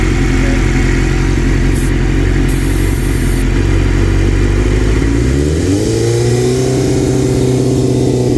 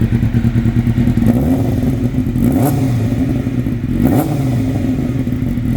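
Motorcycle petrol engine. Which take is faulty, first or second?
first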